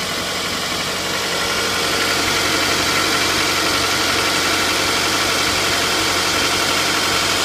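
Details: Toyota 2AZ-FE, 120,000 km, cold idle: fairly regular light ticking knock about four per second over engine noise, gone once warmed up; source unknown. Cold-start knock.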